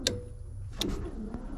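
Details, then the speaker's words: LS-swapped Nissan 350Z, key turned on after refitting the ECU to prime the fuel pump, engine off: a few sharp irregular ticks, about four in under two seconds; owner suspects an earlier jump-start damaged electrics, and an IPDM swap changed nothing. "i went to put the key in to turn it on to make sure the fuel pump primed and let me show you what i found ah man am i over this no good has come out of anything i got some wack-ass noise down here"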